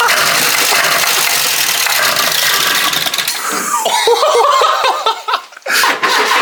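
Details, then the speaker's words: 1980s Ford Fiesta XR2 after 25 years sitting, new fuel pump and lines, refreshed carburetor, fresh fuel, primed; steady starter cranking about four seconds, almost catches but never fires, cranks without starting. "Close. It's close. It wants to."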